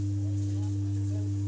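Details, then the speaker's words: Ordinary home theater with USB board working: loud constant low hum with fainter higher tone from subwoofer, no program sound, unchanged by volume up/down or power cycling; faulty amplifier IC; amplifier hum. "Sound नहीं आ रहा है sound आना चाहिए लेकिन इस तरह का sound आ रहा है य इसका सबपर का साउंड है इस तरह का साउंड आ रहा है"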